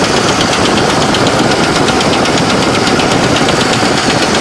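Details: 1970 Chevrolet Malibu with a small-block 350 at idle: sharp, hard metallic knocks about six per second, like hitting the engine with a screwdriver handle; a heavy internal knock whose source is not yet found.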